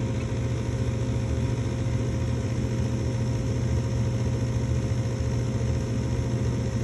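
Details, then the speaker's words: Ducane MPGA075B3 gas furnace, powered up and calling for heat. The inducer motor hums steadily for too long with no pressure switch click following, and the burner never lights. Inducer running, no pressure switch click. "usually at this stage I listen for that click I should even take that one uh some of them it takes so long yeah this is probably already too long"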